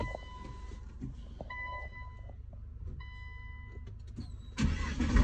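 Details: Nissan GT-R R35 with code P1220 (fuel pump module), which had a no-start from a broken fuel pump fuse, during fuel pump power testing: quiet electrical hums and faint pump buzz, then the engine cranks and catches cleanly; normal start.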